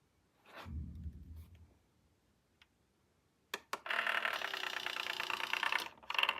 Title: SureFeed Microchip Pet Feeder - Loud noise when operating the lid